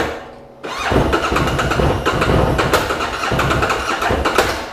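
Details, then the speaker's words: 2013 Bennche Spire 800 side-by-side after its slow-cranking problem was fixed: the fuel pump primes, then the starter spins the engine very fast, but it catches only in ragged bursts and never runs steadily; cause unknown. "But it's definitely cranking over really fast, but something seems not to run right."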